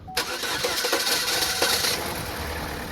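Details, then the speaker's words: 2012 Holden Barina 1.4 EcoTec, cold start: takes several turns to start, then runs ragged and uneven; misfire disappears once warm, blamed on the intake VVT solenoid, scan showing timing and misfire faults. "now as you could see from that clip it did take a few turns the engine to actually start and then it started running rough but after the engine warms up that mfire goes away completely"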